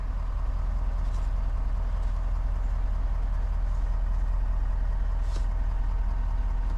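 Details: 2021 Ford F350 diesel, just restarted after a fuel filter change and fuel-system priming: an even, steady idle with a smooth low rumble and no knocks, misses or hunting. No leaks were found; the engine is running normally.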